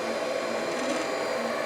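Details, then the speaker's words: Anycubic Chiron 3D printer, new setup, running the level-test G-code print: hum and whir with uneven rustling as the x-axis travels back and forth, seemingly mostly from the cable chain. "x-axis goes back and forth. Sounds like it's mostly from the cable chain. Just kind of makes some sounds."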